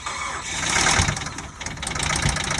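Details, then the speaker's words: 2007 Mazda CX-7 on a jump pack: engine cranks, catches briefly with a rising rush, then immediately cuts off and sputters, so it cannot be put in gear; starts then stalls. "It'll start and then immediately cut off, so we're not able to put it in gear or do anything with it."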